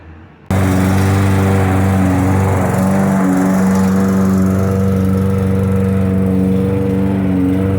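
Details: Lawn mower after carburetor cleaned of dirt and overfilled oil corrected: fires up cleanly and settles into a steady, even drone with no surging or misses, music behind; running healthy after repair.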